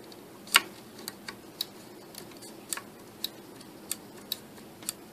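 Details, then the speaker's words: Older 5.25-inch floppy disk drive under service: sharp metallic ticks about twice a second over a quiet hum as the head reaches track zero and stops cleanly. Normal track-zero click. "you also want to hear that metallic click at track zero and i'll see if i can get it to do it"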